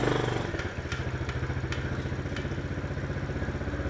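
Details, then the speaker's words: Chinese ATV rolling forward at idle-speed thumping with sharp clicks about every half second, absent in reverse and gone when throttle applied; owner suspects the transmission. "Everything's fine when I hit the gas. It's got to be something in the um dingyamajiggy bob here. Transmission where you think."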